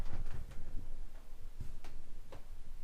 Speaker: a sound nothing that's exactly what we want to hear is nothing